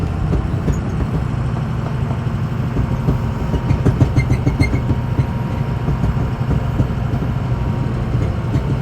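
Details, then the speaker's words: 2006 Ford F-250 driven over a rough road after warming up on a cold day: scattered dull clunks with each bump over low road rumble; worn cab mount bushings suspected, not confirmed, before replacement with Energy Suspension bushings. "Then we'll come back and get those new bushings installed, and hopefully get rid of that clunking."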